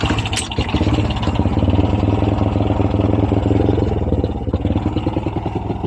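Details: Honda Wave 100 carb-type motorcycle: at full throttle an uneven, labouring chug that never climbs in pitch and struggles to build power; engine bogging, CDI (stock or battery-operated conversion) to be checked first.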